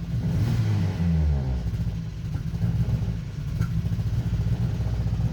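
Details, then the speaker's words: Renault Clio engine after oil drained (about 1.5 litres) and replaced with dish soap, now 10 minutes running with no oil or soap left, leaking: low strained rough pulsing idle with dull clatter, labouring from oil starvation. "It's now been 10 minutes. It's got no oil in it. It's got no soap left in it. It's just, it's not happy."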